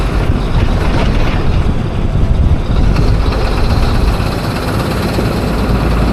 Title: Here Is What Diesel Injector Knock Sounds Like